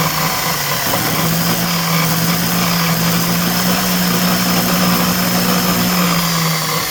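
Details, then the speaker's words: DeWalt chop saw that was bogging down (owner suspected brushes), after repair: the motor holds a steady, even hum and revs up faster, running smoothly. "Looks a little better. Sounds like it's revving up faster. I don't know about any higher, but faster."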